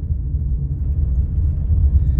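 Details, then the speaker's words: Car on factory-fitted Goodyear tyres, coasting off throttle on asphalt, windows closed: steady low droning roar; excessive road noise from aged, hardened tyres that still have tread. "खूप जास्त noise आहे, कारण की आता जुने झालेत फार जास्त टायर. ट्रेड आहे परंतु टायरची एज झालेली आहे,"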